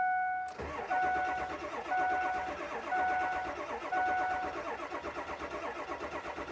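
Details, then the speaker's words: 2003 Ford F350, 7.3 L diesel, reported to be a crank-no-start mainly when hot. Here it is not yet run and still won't start: the starter whirs with even compression pulses about once a second, never catches, and white smoke appears. "Okay, it doesn't want to start. Battery is gonna get weak."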